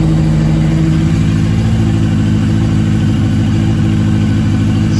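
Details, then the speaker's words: Yamaha XJ750 motorcycle that sat unused and wouldn't run except on starter fluid, after Seafoam poured through the fuel line into the carb bowls and tank and left a day: steady, even four-cylinder idle, no stumbles; now starts and runs well. "sea foam heck yeah man that sounds great especially before it wasn't even running i started right up"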